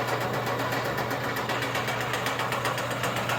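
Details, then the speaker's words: Fully rebuilt DMC 40 Hi-Cap rotary grain cleaner, rewired for single-phase 110 V with corn and soybean screens: a steady motor hum with a rhythmic drum swish and no irregular noises; normal running. "Hit the switch, it'll fire right up. Comes right along, there are no irregular noises."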